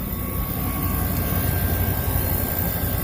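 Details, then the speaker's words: Older walk-in freezer condenser, system just restarted, sight glass full, condenser clean: steady even rush of air with no ticking or scraping; both condenser fans working normally. "Let's see if both fans are working. I assume they both are, but"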